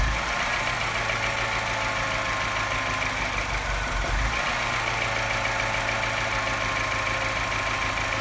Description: Sounds not bad until the revs drop, then suddenly something changes and it starts sounding like a London taxi.